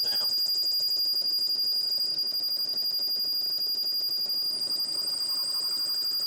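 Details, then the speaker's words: Lathe machining a motor adapter for a vertical electric motor, an interrupted cut with hard spots, trying a 20-thou pass after 10-thou passes. A piercing, steady high squeal with fast flutter holds through the cut: tool chatter from too deep a pass. "There's some hard stuff, and I'm getting a lot of chatter."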